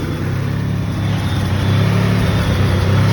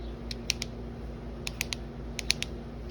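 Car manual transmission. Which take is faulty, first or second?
second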